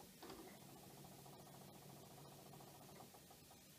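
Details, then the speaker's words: Mitsubishi VCR with a broken drive belt: a cassette is inserted, and there is quiet steady whirring and light ticking but no loading clunks. The tape never loads and the machine switches itself off. "and when the driving belt was broken if you put cassette in i just put the cassette in there's no loading and also the machine turn itself off"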